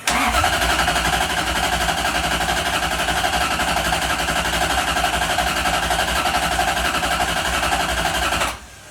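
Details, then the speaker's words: 1UZ-FE V8 swapped Mazda RX-7 FC, hard to start, after coolant temperature sensor and new spark plugs: steady starter cranking about eight seconds with no firing; cranks but won't start, suspected no power to fuel pump while cranking. "No dice with the spark plugs. Sounds like there's no power to the fuel pump whenever you're cranking."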